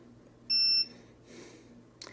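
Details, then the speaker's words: ViFly Finder lost-quadcopter buzzer, unpowered after being unplugged: one sharp high beep of about a third of a second, then faint chirps. This is the normal low-power warning, not yet loud, expected to last about half a minute. "And there's our warning signals. It's not too loud yet. Let's see, it's going to do this for I think a half a minute."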